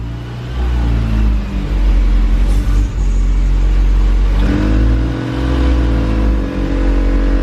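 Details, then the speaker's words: Mini being started for the first time after reassembly, on a battery jumper: steady idle rumble then a clean rev settling back, no knocks or misses; runs, though something smokes under the hood and clutch has no pressure. "guys so the cart does run nothing smoking or what smoking what is smoking"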